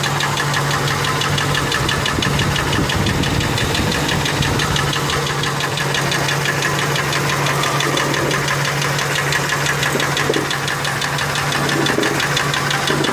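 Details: Ford F150 with the 4.6 2-valve V8: a sharp knock about three per second at idle. The owner first thought it was the lash adjusters but now suspects the rod bearings, though it seems to come from the clutch, possibly a broken spring.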